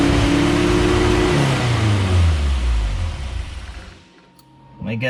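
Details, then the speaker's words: Barn Sprite No. 6 after oil was dropped into the cylinders to raise compression: the engine catches, runs briefly, sags and dies within about four seconds. The carbs are suspected and due for servicing. "hey we're on to something it was trying to start but now i have too much oil on the spark plugs i'm going to need to burn that off"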